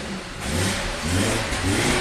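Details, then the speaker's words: A 2011 Nissan Sentra with 33,000 miles, intake hose off so air bypasses the mass airflow sensor, surges unevenly at full throttle with heavy smoke. It stalls unless floored, won't idle and sets no fault codes. The cause is unconfirmed. "there's so much smoke coming out of this thing it's insane so I have to floor it to keep it running otherwise it dies"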